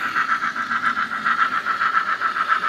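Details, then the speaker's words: Fast, even clicking about seven or eight times a second over light motor hum on a Fleischmann 4118 BR 18 steam model locomotive, drive in tender; runs a while then stops, owner suspects slipping tender gears; finding: rhythmic clicking while running. "And I think gears are slipping because you can see there it goes. And it'll run for a while. Then it stops. And you can hear the sound."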